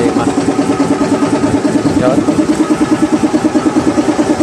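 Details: SDLG loader diesel engine at idle, troubleshooting an engine knock without opening the engine: a regular, even knock about three per second, cause unknown.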